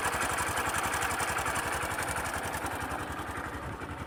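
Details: Sundiro Honda CBF125T single-cylinder motorcycle at idle, recorded on a phone: light, quick metallic "ka-ka-ka" clatter about four a second over a steady idle, fairly loud but doesn't affect riding; timing chain rattle.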